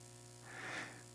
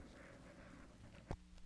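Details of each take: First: Parts Express 240-398 XLR-to-quarter-inch line matching transformer used as mic input: steady low mains buzz with a ladder of higher overtones, hum pickup from the unshielded cable. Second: Parts Express 240-398 XLR-to-quarter-inch line matching transformer used as a mic input, with shield connected: after handling thumps, a faint steady low hum with slight fuzz remains; acceptable noise floor.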